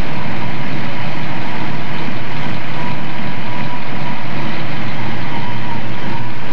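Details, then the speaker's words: 1970 Ford Mustang Boss 302 V8 under restoration, coil hot-wired around the ammeter, cranked from the window; listening to the exhaust. Loud, deep V8 rumble at a steady idle, even and unbroken with no knocks or misses; healthy-sounding engine. "go ahead and crack it and you reach in the window here and crank it you'll remember these sounds this old engine"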